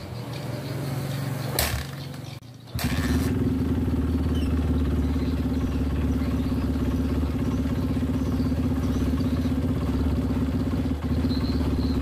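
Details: Honda CRF150 that ran rough after a new rebore, test-started to check the oil passage: a short start, then a steady, even single-cylinder thumping idle with no rattle, and oil flowing well.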